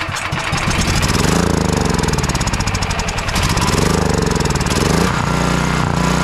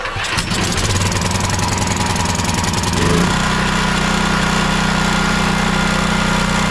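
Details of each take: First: Champion dual-fuel 9375 generator that won't start and surges, spark and compression good, low-oil shutdown wire unplugged: catches then hunts, swelling and sagging; stays running only while carburetor cleaner is sprayed in, so a gummed carburetor. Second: Champion 9375 dual fuel generator, choke on, after carburetor ultrasonic clean and rebuild: quick catch on pull, brief rise, then steady even governed drone; starts and runs well, fault was gummed carb or stuck solenoid.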